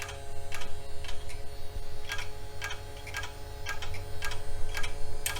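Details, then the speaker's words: Fan in a vintage '80s/'90s computer made in West Germany, powered up on test. Steady fan hum with a sharp tick about twice a second, as if the blade is choking on something (suspected). The supply then sparked, a transformer apparently arced, and the fuse blew. "sounds like we have fans choking on something"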